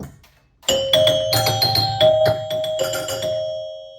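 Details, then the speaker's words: Sinbad pinball machine after chime repair, coils measured around 25 ohms and a driver transistor checked for locking on: clean bell tones ring in quick sequence with clear decay, no stuck or buzzing chime. Normal chime operation. "Okay, I think that fixed it. I saw it coming on and off, and it sounded a little bit better."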